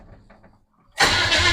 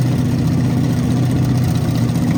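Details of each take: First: 1929 Model A truck with replacement engine, first test with no fuel supplied and ignition switch off: starter spins the engine briskly with no catch or firing; cranks but no start, no fuel. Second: 1929 Model A truck with a replacement engine, after the plug wires were redone to the correct clockwise firing order: a steady, even low rumble at constant speed with no misses or knocks; normal running.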